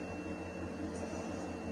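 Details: Faulty alarm siren transducer driven with test voltage at different frequencies: faint, steady tone barely above room hum; far too little output, transducer to be opened for diagnosis.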